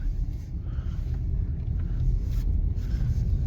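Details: Grandma's Subaru test drive after new slotted rotors, pads and calipers: steady low road rumble while rolling, no grinding or scraping from the wheels; previous rubbing noise gone, brakes quiet and smooth.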